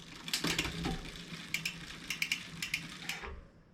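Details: 2020 Specialized Fuse 27.5+ with a Shimano Deore Shadow Plus 10-speed rear derailleur after limit-screw and indexing adjustment: crisp, evenly spaced freewheel ticks with one clean shift and no chain rub or grinding; shifting smooth.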